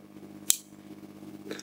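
One crisp click about half a second in, then quiet hum; the relay pulls in cleanly and holds.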